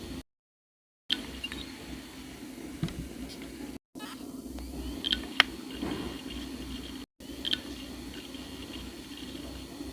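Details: Dell Inspiron laptop 1TB hard drive, recorded with external earphone mic in a silent room: faint sparse clicks every second or two over soft hiss, audible only in silence; support said normal head movement sound, drive replaced under warranty.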